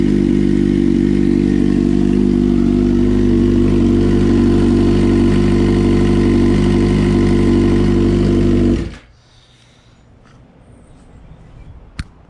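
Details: 2006 Suzuki GSX-R 600 after engine swap, first start, no codes; a disconnected throttle-body connection had caused backfiring until plugged in. Smooth, even four-cylinder idle, steady note, no popping or misses, then clean shutdown; engine running healthy.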